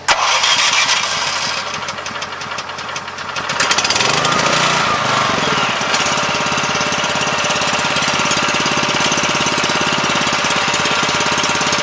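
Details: 7 HP Kohler air-cooled single on a hydraulic power unit, unrun for at least two years, after carburetor cleaning, battery charger on high start: catches after a few seconds of cranking, then a quick, steady, even idle; running properly.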